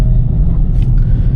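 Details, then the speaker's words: 2026 Nissan Magnite three-cylinder turbo petrol CVT pushed hard: deep, steady, even drone with no knocks. The sound is sporty and the engine does not seem strained or struggling; normal engine note under load. "अगर आप पुल करोगे ना गाड़ी को तो फिर आपको engine की आवाज़ सुनाई देगी, पता चलेगा कि हाँ एक 3 सिलेंडर इंजन को आप पुश कर रहे हो। बट काफ़ी स्पोर्टी सी साउंड निकालता है, ऐसा नहीं लगता कि भाई इंजन पे जोर पड़ रहा है, इंजन स्ट्रगल कर रहा है, वो वाली आवाज़ नहीं है।"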